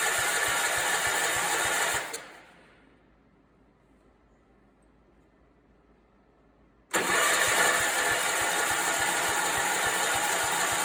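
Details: Allis Chalmers 416 garden tractor barn find, fuel tank re-plumbed with gas added, spark present and plug moist: two runs of fast, even starter churning, about 3.5 beats a second, never catches; cranks but won't start.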